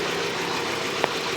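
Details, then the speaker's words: 1997 Nissan Almera/Pulsar N15, GA14DE, about 162k km, first start after about 9–10 years sitting. Rough, uneven idle with lumpy beats and a stray thump, as if on three cylinders. The plugs, checked the next day, were fouled and needed cleaning. "So after I checked the spark plugs the next day, I noticed that they needed a little cleaning."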